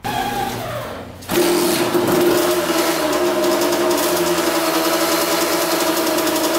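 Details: 1982 Kawasaki KX125 two-stroke, long-sitting bike restarted after coolant leak repair with gasket maker: fires in about a second, settles to steady even idle with no misses; sounds pretty good, no leaks, oil not milky.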